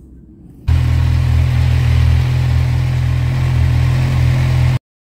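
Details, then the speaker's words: 2017 Kawasaki Z1000 (ZRT00H) revving: light metallic clatter over drone, rising with revs; valves readjusted without help, new chain tensioner next, timing chain if still rattling; tensioner found defective. "so Ventile neu eingestellt hat nicht viel gebracht jetzt einen neuen Kettenspanner und wenn der immer noch so klappert muss die Kette neu"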